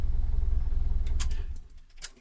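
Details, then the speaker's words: Ford ST170 with GSXR 750 individual throttle bodies and ME221 ECU, cold engine, while tuning cranking fuel and dwell maps; low lumpy cranking churn with a few irregular catches then dies away, still not starting well. Hard starting with uneven firing while cranking. "so this is still not ideal it's still not starting as well as I want it to"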